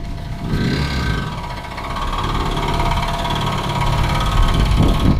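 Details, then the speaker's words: Freshly tuned 400 hp race Honda restarted after a strange sound during launch control: a sharp light tick three or four times a second over the idle, seemingly towards the exhaust side, not valve-like; source unknown. "Wow, this thing is ticking, guys, like a time bomb. But it's ticking in a different way than you're used to with valves. It's actually ticking towards the exhaust."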